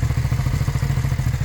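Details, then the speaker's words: First-gen Suzuki SV650 V-twin, revived after years abandoned, after rear cam chain tensioner adjustment: even, fast exhaust pulses with only a little noise and no rod knock; bottom end feared junk but running cleanly, normal. "There's a little noise, but it doesn't sound anything like it was. It does not sound like a rod knock, anything like that."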